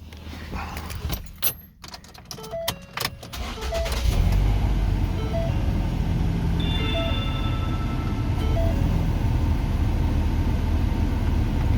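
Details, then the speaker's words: 2008–2012 Ford Escape right after muffler replacement without welding, started up: a few seconds of clatter, then a steady, low, even exhaust rumble at idle with no rasp or drone; much quieter, normal idle. "This thing is so much quieter. Holy mackerel. That's the gist of that muffler though, is quiet flow."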